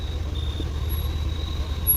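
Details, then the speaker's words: 2001 Subaru Outback after replacing the leaking power steering return hose: quiet, steady low rumble, engine idling evenly after starting, no clicking or stumbling. Normal idle after repair. "fixed it's fixed guys and we brought it back to life it started"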